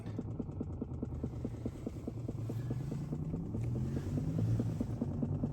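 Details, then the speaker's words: 2022 Chrysler Pacifica Hybrid, about a year old, parked with the engine off. Faint, regular ticking a little over two per second under a low hum, seemingly from up front; it stops when the car is switched on. Cause unknown. "The engine is off. I just got in the car. It's making this weird noise."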